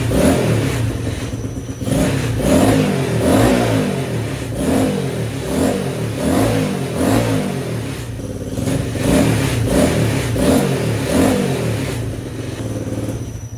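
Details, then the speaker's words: Honda XR80 engine in a homemade shifter kart, first start-up after revival; quick even rev blips rising and falling cleanly, no knock or clatter, runs like a top; owner notes a small squeak in the head and needs oil. "Thing runs like a top."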